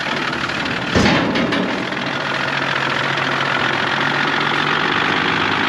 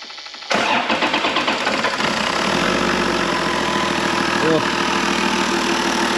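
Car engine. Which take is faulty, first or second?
first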